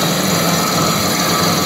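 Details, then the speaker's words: Old heavy 3-phase lathe first power-up: loud harsh clattering over high motor whir; loose slapping drive belts from a non-original broken tensioner with stripped threads and no locking bolt. "What a racket! This thing obviously isn't original. There is no locking bolt and the threads are totally stripped. What the fuck. This is some kind of tensioner that is kaput!"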